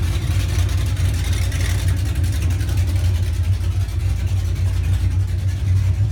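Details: 1981 Monte Carlo G-body with 355 small-block V8, camshaft, carburetor to be replaced with a Holley, during rear end swap: deep choppy idle with uneven cam lope, revs pick up cleanly and settle; sounds healthy, awesome throttle response.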